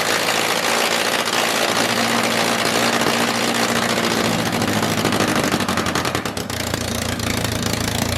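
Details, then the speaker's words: MG Midget with swapped engine, first start after completing the fuel system: ragged, uneven idle that sags and wavers, with a harsh noisy background; struggles to hold idle. "well good news is we know that fuel's getting to it because that's obviously not the starter fluid anymore there's some mad flames i mean it dies without it"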